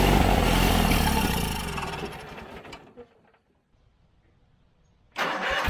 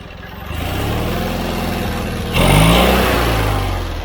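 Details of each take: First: John Deere 317 riding lawnmower: the engine runs briefly, fades out and stops for about two seconds, then fires again with an uneven beat. Fuel starvation from a plugged carburetor; the fuel lines and tank were ruled out. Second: John Deere 317 riding mower twin engine after carburetor cleaning (carb was plugged; quit while mowing, wouldn't restart): runs steady and even, then picks up speed cleanly with no stumble or miss. Normal running.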